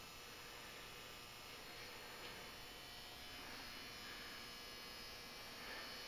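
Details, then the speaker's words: Old Hubbell 400 W metal halide lamp starting up, dim and brightening as it heats. Its magnetic ballast/transformer gives a steady, normal low buzzing hum with a faint hiss during warm-up. "that sound the buzzing sound you hear is the ballast resistance to Transformer buzzing away"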